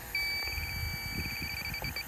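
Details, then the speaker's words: Mitsubishi ductless unit that lost all refrigerant, in bitter cold, sniffed with electronic leak detector at fittings: steady high tone breaks into rapid beeps; refrigerant leak found at these fittings. "well I got a hit relatively quick at these fittings here"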